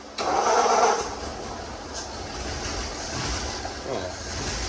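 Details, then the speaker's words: Ford flathead V8 after fitting an HEI electronic distributor (9705K E-fire): short crank, catches at once, seems to crank faster, settles to steady idle; normal easy start. "that was too easy. That was too easy. I'll be Hey, it worked. I believe it cranks faster off AGI."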